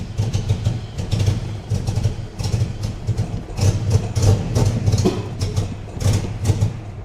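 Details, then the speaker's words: 1984 Jaguar XJ6 automatic, first start after sitting 20 years, running on a temporary fuel pump that seems slow. Oil pressure is present, but it barely idles with a lumpy idle that sags and surges, and it is very smoky: a rough idle. "All right. Oil pressure is oil pressure, man. It's barely idling."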